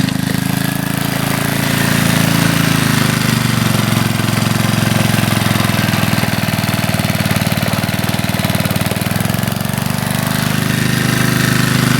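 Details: 1981 Briggs and Stratton single-cylinder on a garden tiller, after a carburetor rebuild, run with the air cleaner off to check for leaks: putters at a steady speed with an even firing beat and no misses. Runs smooth, purrs.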